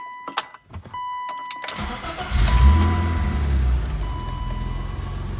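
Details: BMW E30 325ix with manual swap, back after a tow damaged its transfer case viscous, clutch just bled: a few clicks, short crank, engine catches and settles into a smooth, steady idle; healthy start.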